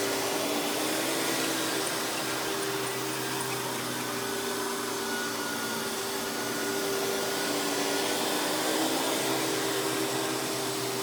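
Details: Hoover PowerMax Supreme 850 S3609 canister vacuum from the 1990s running with power brush: steady, even motor whine, constant pitch, faint brush hum, no surging or rattle; runs smoothly though not the quietest.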